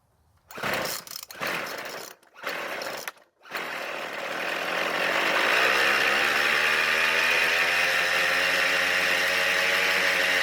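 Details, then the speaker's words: Poulan Pro pole saw that was flooded, after a damaged flywheel key was fixed: the two-stroke runs at a high buzz with a loose, marble-like rattle; the owner suspects bearing damage from water. "luckily the engine started and ran but the problem is that I don't like the way this engine sounds it just sounds like a bunch of marbles rolling around in there"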